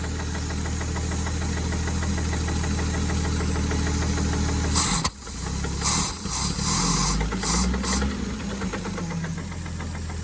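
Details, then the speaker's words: Late-60s/early-70s Towmotor forklift Chrysler flathead six side-valve, semi-seized after sitting for years, first run: rough idle with sharp fast tapping knock tracking engine speed through a stumble; bottom-end knock, owner expects ruined conrod and journal. "oh what's going on there laughs what's going on oh this is admiring that big knock in the bottom in there"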